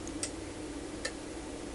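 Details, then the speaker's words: UNI-T UDP3305S programmable linear power supply in sequence mode, output cycling between 0 V and 10 V every second: sharp single relay clicks about once a second against a quiet background; normal relay switching. "let's do start up again and you can see that now we're oscillating between 0 volts and 10"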